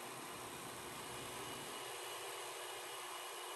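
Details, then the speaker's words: 1976 Sony SL-7200A Betamax player under repair, rewinding a tape: soft, even whirring hiss with no catches or squeals, the transport rewinding smoothly and normally. "let's stop it and let's try rewind all right that was pretty good"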